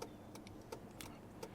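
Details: Toyota Tacoma turn signal relay: crisp ticks about every third of a second in an even slow pattern on the left side, normal flasher rate, unlike the fast-blinking right side.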